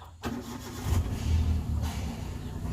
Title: hyundai eon no crank no start.. job done